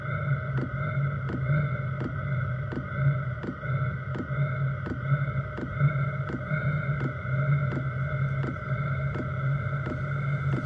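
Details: Chinese diesel heater in portable overland build, 5-liter tank, first startup after about two minutes of glow plug routine: steady fan hum with soft even fuel pump tick about once a second as it lights; normal startup.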